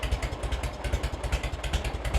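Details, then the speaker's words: 1986 Harley-Davidson Heritage Softail (first year), 29,000 original miles, first start after 10+ years stored, carb serviced: deep, lumpy but even V-twin potato beat around five pulses a second, no misses or ticking; healthy warm idle, no leaks. "let's see what we get now on killer oh that's a good sound right there sure there's no leaks"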